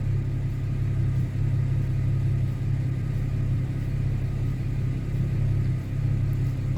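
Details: 2011 Chevy Camaro with check engine light, fans blaring, intermittent hard start, idling and smelling rich as temperatures rise: deep rumbling idle with uneven beat and brief stumbles; scanner shows misfire counts on cylinders 1, 2 and 6.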